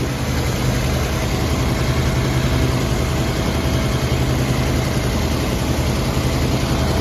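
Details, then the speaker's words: 1980 Chrysler Cordoba (43 years old) right after start-up, mechanical gauge showing 40 psi oil pressure: low, steady, even idle with no ticking or knocking over the hum; makes no noise at start-up, so the engine sounds healthy. "It doesn't make any noise just when I start it up. So that's a good thing."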